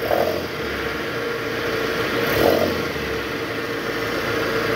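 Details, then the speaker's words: Toyota Harrier, AC on, in reverse, revved to about 1000 rpm: rough, gritty growl over idle swelling with the rev, from a vibrating worn belt tensioner with a weak spring, before replacement. "Oke Guys jadi tadi kita udah konfirmasi itu ada suara dari Tensioner bunyi ngorok gitu pas masuk R terus digas itu tensionernya geter dan bunyi ngorok akibat Eh pegasnya udah lemah"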